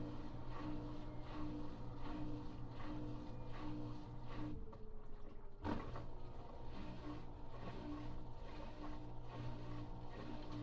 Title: Washing machine sound Spin Coast Cav Balls